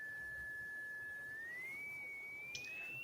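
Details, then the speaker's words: Tesla coil with a lamp brought near: steady high whistle climbs smoothly in pitch as the lamp enters the field and lights, loading the coil and shifting its frequency. "definitely puts off all the energy you want wow that's crazy how it changes the frequency you could hear it"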